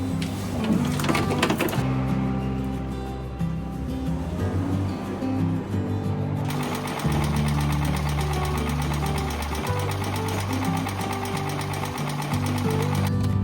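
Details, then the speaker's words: Used Wood-Mizer sawmill engine idling rough with an uneven metallic clanking knock over a loud drone; fuel ruled out, black plugs, owner suspects wrong ignition timing, with a failing ignition coil suspected overall. "カンカンカンっていうのはね、点火時間おかしいんだよな。"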